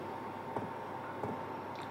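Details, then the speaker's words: Hcalory Toolbox 2 compact diesel heater, first run on max setting: the dosing pump kicks in with soft, evenly spaced ticks about 1.5 per second over a quiet hum while priming; normal and quieter than the owner's other heater. "Did you hear the tick tick tick? I have to say that is really quiet compared to my one that I've got at the moment."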